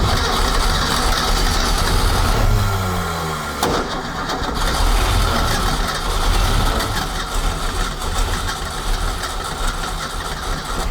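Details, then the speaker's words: 1976 Ski Nautique V8 boat engine with Pertronix D231801 distributor, first start, timing about 5° BTDC, pumped start: sputters unevenly, revs sag and surge; rough running, owner suspects fuel/carburetor and rechecks plug wires. "carburetor and try to keep it running a little while now that I think there's something not quite right let's double check the wires again"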